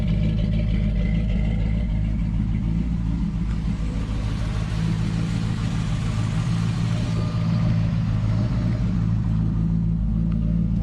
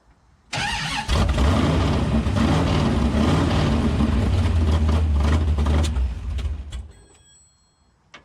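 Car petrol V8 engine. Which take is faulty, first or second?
second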